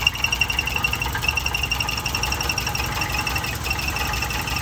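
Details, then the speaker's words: 1988 Winnebago LeSharo, engine running after a part was refitted with spacers: high, thin chirps about twice a second keep time with the engine; belt chirp, source unknown; engine still runs a little rough. "okay that is working but as you can hear there's still a chart i don't know what that is"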